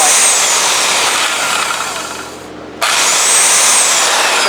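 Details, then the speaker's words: 1950s Craftsman belt sander running without a belt after greasing, lubricating the motor bearings and sanding the armature; a steady, even high whir with a slight leftover rasp and a brief dip. Normal running. "now I want to plug this in for you and just show you what it sounds like without a belt on it it still makes just a little bit of noise"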